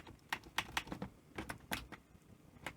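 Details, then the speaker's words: NEC PVC-740 Betamax VCR in a quiet room: sharp, irregular relay clicks as the unit tries to power up, then it shuts straight off. A 12 V power supply rail fault is suspected, while the higher voltages work. "yeah I'm not even getting a you can hear relay clicking you know and it's trying to work"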